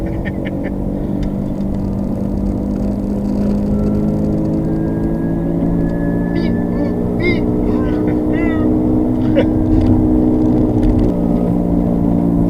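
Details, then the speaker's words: 2007 Subaru Legacy cruising: a steady, low droning front wheel bearing howl under road noise. The bearing has two bearings in one housing, and the mechanic guesses the inner one is worn out. "You got basically 2 bearings in one housing. So my guess is the inner one's cheesed up."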